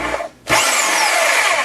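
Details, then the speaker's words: DeWalt DW321 saw after gearbox repair (previously wouldn't cut and clicked loudly, likely a flat spot under a bracket): motor spins up to a steady high buzz with even blade chatter, no clicking or knocking; runs normally. "so now it sounds like it should there's no weird noises"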